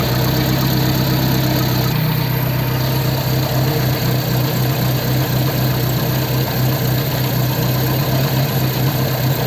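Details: Ford 100E engine after repairing the fuel pump; now charging without touching the dynamo. Steady, even idle with a low smooth beat, no misses, knocks or hunting: normal idle.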